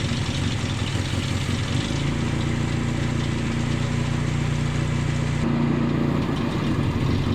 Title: 1988 Nissan Pickup Truck D21 - Rough Idle Repair -Vacuum Line #nissan #nissanpickup #d21 #G3 #IG